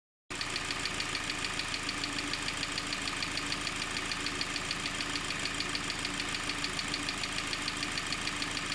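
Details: 4GNA engine: a sharp, regular knock about three times per second rides steadily over the idle. A clear engine knock of unknown cause.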